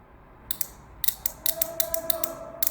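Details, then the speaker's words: Car relay bench-tested with battery power across the coil: a sharp crisp click on energizing and a click back on release, with no chatter or buzz. The relay is switching properly. "When you touch, there is a click. When you release, there should be a clicking back."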